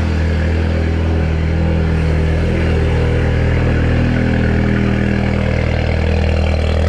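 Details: Seat Leon Cupra 2.0 TFSI after repair of a cylinder 1 misfire (P0301), no fault code showing: steady deep idle, even pulse about four per second, no stumble or skip; normal idle.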